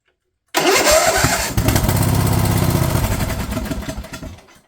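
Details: Craftsman LT1000 riding mower/tractor, fed gas of uncertain freshness, catches straight away, runs at a fairly even speed for a few seconds, then winds down cleanly; running properly after the cut fuel solenoid was found.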